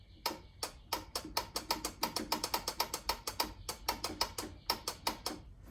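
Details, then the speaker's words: Newly installed replacement engine on a Scag mower, no fuel yet and PTO clutch not fitted: quick, even thumps about four or five a second, cranking much faster than the old engine. Normal cranking. "and this thing cranks a lot faster than the old one"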